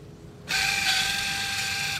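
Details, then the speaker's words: Motor of a Denpoo twin-tub washing machine, repaired after jamming and breaking, bench-tested via the capacitor and held with pliers: a steady hum with a buzzing rattle on top, because the mounting bolts aren't tightened yet. It spins both directions. "Ini kadang-kadang masih agak bunyi karena belum dibaut rapat ya, tapi yang penting dia bisa muter aja ini teman-teman."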